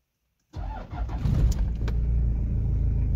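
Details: Toyota Land Cruiser Prado 1KZ-TE diesel after repairing the clicking Denso starter's contacts: after the glow plugs, a brief crank, then it catches quickly into a steady, even clatter, starting normally.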